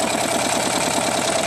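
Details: Buell XB12R V-twin at idle: light quick metallic ticking in time with the lumpy idle, sitting above the engine note; source not found.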